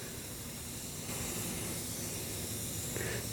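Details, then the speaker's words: Tubeless motorcycle tire punctured by a screw, being inflated to about 40 psi before plugging, engine off; steady soft hiss of air escaping, growing slightly stronger: tire air leak. "All right. And I can already hear it hissing."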